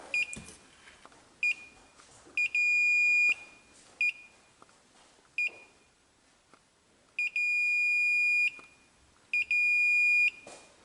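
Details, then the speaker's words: 1995 Honda Fourtrax ATV with no-start/no-spark, start switch removed and tested with meter: continuity tone keeps cutting out in uneven bursts even when pressed hard, poor contact, suspected dirt inside the switch. "So it's not making good contact. I gotta, even when I press it down pretty hard. Yeah. It's not making good contact. I bet you there's some boogers inside that switch."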